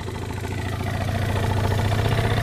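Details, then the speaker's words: Suzuki Let's two-stroke scooter after a no-cost piston, ring and cylinder repair (compression went from 0 to 6 atm); it idles with a quick, even putter and runs cleanly, starting readily only with the lights switched on. "В целом, когда я включаю свет, он заводится идеально. Всё хорошо. Праздный. Просто замечательно."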